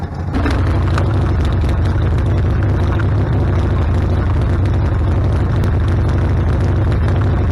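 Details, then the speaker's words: Harley-Davidson Sportster after carburetor rebuild, no adjustment, warmed up, choke off; before it died after minutes and backfired through carb: deep even V-twin lope, steady with no stumbles, misses or pops; normal idle. "all right oh yeah sounds like it's doing a whole lot better I haven't tweaked the carburetor at all yeah it's idling great"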